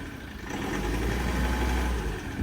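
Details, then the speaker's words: Ford Ranger diesel with newly fitted replacement engine after engine failure, idling with a low battery: deep, even diesel clatter at steady idle with no misses, knocks or hunting; sounds healthy. "actually yeah it sounds lovely I think we'll just leave it running while we're putting the Bonnet on because the battery is that low"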